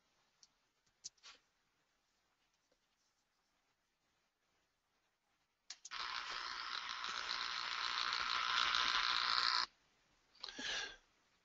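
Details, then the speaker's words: Ultrasound recording of corona discharge on electrical equipment: steady, even, very consistent hissing buzz; the spectrum shows distinctive 60-cycle harmonics plus broadband noise. "know if you can hear that very well but it's a very consistent buzzing sound and here's what we call a time waveform basically a sound recording from that from that Corona"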